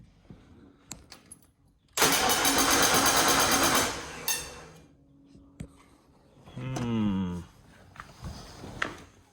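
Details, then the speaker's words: Foxbody Mustang cranking after oil change, coil unplugged, battery charged overnight; two-second crank with harsh, hissy rush and fast ticking, engine does not fire; owner unsure, suspects electrical arcing or starter. "Ooh, that doesn't sound good. See, we hear that ticking again. That's kind of weird. I don't know what that is."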